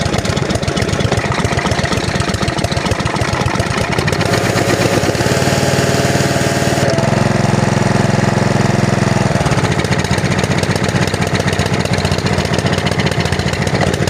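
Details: Honda GC160 5 hp engine on a pressure washer, after the plugged air filter was dealt with: steady, even single-cylinder chug, about three beats a second, no bogging; running properly.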